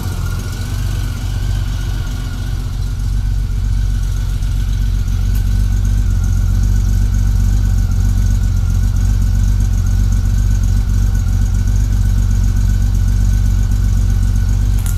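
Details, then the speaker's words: 1999 Honda Valkyrie Interstate after a carburetor tune: an even, steady low idle of about four pulses a second with no popping or misses. Slow screws were turned out a quarter turn to cure a lean idle and left-bank popping. "I could just feel that it was a little bit on the lean side at idle and when you ramped it up and so forth now it's a lot better"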